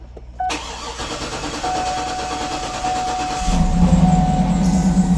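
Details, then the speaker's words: 2008 Cadillac Escalade that randomly shuts off and is sometimes hard to start, with codes P0335/P0336 for the crankshaft position sensor; starter churns about three seconds before catching and rising to idle; hard start, extended crank. "there it started. It had a little bit of difficulty starting"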